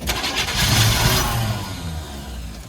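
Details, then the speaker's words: 1977 Chevy K10 truck that sat 14 years: uneven cranking chuffs catch into a short rough firing burst, then sag and fade. Fires briefly but won't keep running; lack of pressure suspected, timing also questioned, not confirmed. "Yeah. It's just we don't have pressure to keep it running. But it fired."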